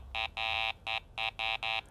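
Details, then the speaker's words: Garrett ACE 400 metal detector over steel washer: repeated short buzzy beeps on steady low tone, the low tone for target ID 0–32 (ferrous). "Okay, the first tone we've got is a low tone. That's for anything with a digital target ID reading from 0 to 32. We've got a steel washer here for the low tone, so let's listen to it."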